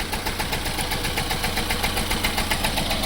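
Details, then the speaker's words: 2006 Chevy Cobalt with erratic idle but smooth above idle, codes P0068, P0106 and random misfire; coil, ignition module, MAF, MAP, plugs, upstream O2 and timing chain tensioner replaced. Idle shakes with a steady thump, a hard dead-cylinder miss. "but obviously I've got a hard Miss"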